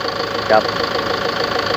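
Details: Toyota Tiger D4D 1KD 3.0 diesel after valve adjustment and oil change, previously knocking on cold start with white smoke and dipstick blow-by: even, steady idle with only light regular clatter, no heavy knock; engine sounds healthy.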